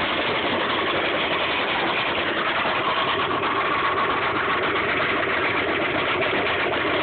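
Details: 1995 Subaru Impreza at idle, knock persisting after oil change and additives: faint, quick, even ticking knock under the engine note; owner calls it rod knock, lower-end source not confirmed.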